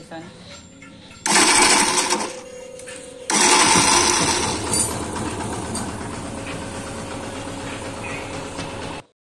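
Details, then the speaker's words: Yamaha FZ version 2 motorcycle, pressing self-start: harsh raspy grinding bursts as the starter engages, then engine catches and runs fine; one-way bearing okay, fault is worn starter pinion. "Self हान्दाखेरि इन्जिनबाट अलिक loud sound आउँछ, अलिक नराम्रो sound सुनिन्छ।"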